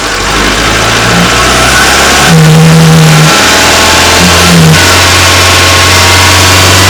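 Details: Renault Wind or Clio III 1.2 turbo 100hp, microphone placed under the bonnet at two locations, revved to 2000 then 2800 rpm. A hollow whooshing hum rises with the revs; the noise came from the original Bosch dump valve 0280142118, replaced with an adjustable recirculating valve.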